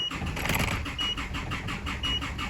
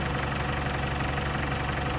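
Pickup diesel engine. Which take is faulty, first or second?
first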